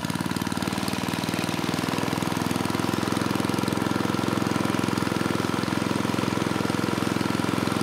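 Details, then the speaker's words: Tecumseh 3 hp (HS35) engine on mid-1980s Troy-Bilt Junior tiller runs flat out at a high, hard-buzzing speed that never dips back. Governor is not working; internal governor breakage suspected, or possibly misadjustment. "pretty sure the governor is not working at all so there's two possibilities either it's broken inside the engine and given the way this arm moves I'm leaning towards that or potentially you know the governor's out of adjustment"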